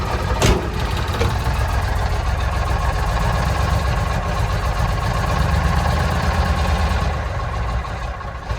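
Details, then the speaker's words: 1965 Mack B61 turbo Thermodyne diesel started with ether on a May morning after a fuel filter change; very low, loping idle that nearly stalls. "not a happy camper truck idle is extremely low"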